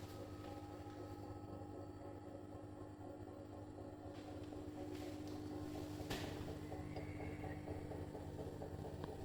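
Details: New Bosch Serie 4 EcoSilence washing machine, installed by a technician with transit screws removed. During the spin a steady droning hum with several fixed tones and sharp clicks comes from the drum/spindle from 400 to 1400 rpm, loaded or empty; the brushless motor is quiet.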